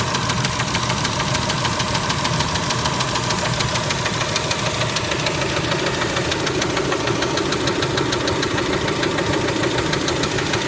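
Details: Kia Spectra engine at idle: steady rapid ticking knock, about 200 a minute, over the idle; knock present, cause not yet pinned down.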